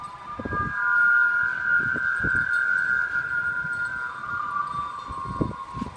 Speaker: like any construction site the Nova Center is a noisy place but it's even louder when there's a strong wind blowing